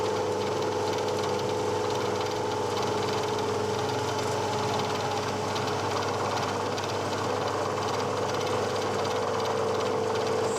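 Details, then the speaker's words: Woodruff cutter slotting a malleable/cast iron base, full depth, spindle at about 500 RPM versus the chart's 267 RPM for a one-inch slot drill: steady metallic ring over rough buzzing cutting, chatter from excessive speed. "so I just stopped there that sounded a bit chattery uh I checked the speed chart and it says for a one inch slot drill it's 267 RPM in cast iron this one's running at about 500 RPM"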